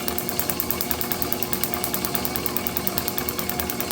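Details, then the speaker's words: International H4 magneto from a parts Farmall MD, cleaned and overhauled for a TD-6 crawler, spinning for about five minutes: crisp, evenly spaced ticks about eight per second over a steady drive whir, none missed; normal firing. "As I've been sitting here, it's been running for about 5 minutes. My camera's been running and I have not heard it miss a single tick."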